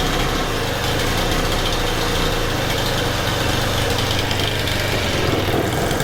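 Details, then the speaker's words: Honda FG110 with GX25, replacement Amazon carburetor fitted by owner (ran only on half choke): rough, buzzy low unsteady idle struggling to hold speed; carb suspected badly untuned, excess oil soaking air filter. "So I think what we have here is a case of I bought a Amazon carb and it's nowhere near tuned to what I need it to be."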